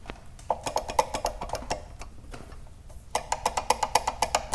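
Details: Honda CBX 250 Twister front brake caliper, microphone held close: sharp hollow clacks in quick bursts, about four a second, each time the wheel is rocked. A loose caliper rattle. Brake caliper rattle.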